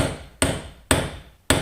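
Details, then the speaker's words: Suzuki LT50 new rear hub bearing tapped in with a socket. Three sharp taps about half a second apart; the last rings duller and higher, showing the bearing has bottomed out and is fully seated. "hear the tone changing. You know that's it, bottomed out."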